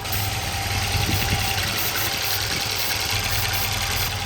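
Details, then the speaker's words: 1984 Volvo 242 (B23, LH2.1, automatic) running again after not starting, idle turned down but still fairly fast with loud airy hiss; suspected intake vacuum leak, not confirmed; plugs cleaned, grounds being cleaned. "so we got the idle turned down a little bit and it sounds like it's sucking air let's look around a little bit"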